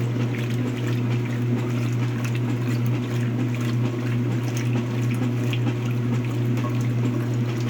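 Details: Speed Queen washer during wash cycle: steady low hum under sloshing water with uneven thump about once a second; strange sound, owner suspects bad transmission, unconfirmed.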